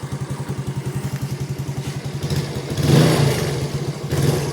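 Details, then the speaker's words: Small single-cylinder motorcycle (Yamaha, "53 stage 2" engine build, stock sprockets) checked after a right-side crash. Steady, even putter of about four beats a second, then a clean rev with no knocks or rattles. Engine runs and is still normally quiet despite a slightly leaky-sounding modified exhaust. "โอเคนะก็เครื่องก็ติดดีเครื่องยังเงียบปกติ"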